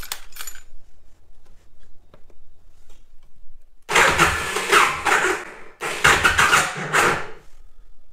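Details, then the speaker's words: Aprilia RSV Tuono 1000 after over-rev (downshifted into 2nd instead of 4th at 3rd-gear limiter on highway): long silence then two short rough bursts that die; starts hard, won't hold idle or rev. No oil leak; internal damage suspected. "Déjà, elle tient pas le ralenti, elle monte pas dans les tours, elle a du mal."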